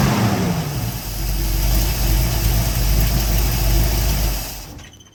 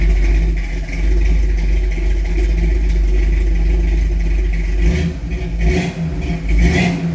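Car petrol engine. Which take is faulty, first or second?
first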